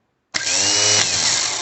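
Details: Starter motor that stayed engaged and spun with the engine, after fixing the worn Bendix shaft slide: bench-run spins up instantly to a high, steady whir, smooth with no rattle, working normally.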